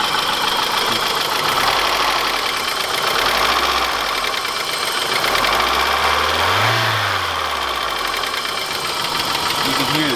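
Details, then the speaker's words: 1991 BMW E30 Touring at idle, before treating with Marvel Mystery Oil: a light, quick ticking about four per second over a steady idle. Sticking hydraulic lifters or valves are suspected. "you can hear the ticking and that's the valve sticking they go up and down"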